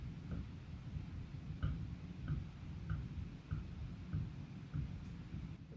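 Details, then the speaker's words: Copper model boiler build, tube plate with wooden former and metal disc inside the barrel: faint light clicks about every half second as rocked; something loose, unsure whether the former moves in the tube plate or the plate in the barrel. "so it didn't make that noise earlier it was completely solid but which which part is moving I don't know whether the wood is moving within the copper tube plate or whether it's the copper tube plate moving within this boiler barel"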